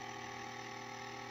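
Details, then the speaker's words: Sony TC-K611S three-head cassette deck at power-on, not working: loud, steady transport drone with a fixed whine and rough hum. "The noise is a bit grim, but it could be a couple of things. It could be a belt. It could be one of the gearing. It could be at fault."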